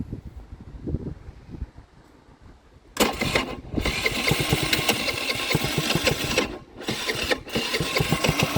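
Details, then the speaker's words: Baotian Sprint BT49QT 50 cc moped, after tightening a loose, cross-threaded carburetor screw: catches and runs rough, surging and stumbling without settling; suspected old fuel or clogged carburetor, to be removed and cleaned. "no no it wasn't that easy so I'll guess it it could be old F fuel something like that but uh I I'll remove the carburetor and clean it"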